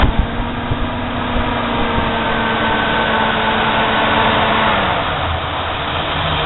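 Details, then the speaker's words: Ford with 83–85 smog V8, 105,000 miles, replacement engine fitted with the old harmonic balancer: lumpy, uneven idle shaking about three beats a second, air breather shaking, goes away when revved; rough idle from mismatched balancer. "What they did was, they put the old balancer on the newer motor. That's why this motor shakes."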